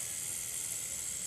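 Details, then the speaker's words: Cheap online-bought rotary tattoo machine running with a 9 round shader (9RS) standard needle fitted: steady, even high-pitched whir with fine buzzy hiss, no catches or stutters; works well, now has some sound. Normal running. "it works well very standard needle it also has sounds now"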